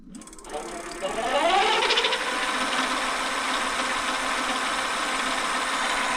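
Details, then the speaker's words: Bafang G900 750W rear hub motor on a 29" MTB, spinning unloaded at 57.6 V and reading 33–34 mph: a smooth whine climbs over two seconds, then holds a steady, even hum with no grinding or clicking; normal healthy motor. "It says we're going 33 unloaded 34 at 57.6 volts. 34 mph. 57.6. That sounds cool."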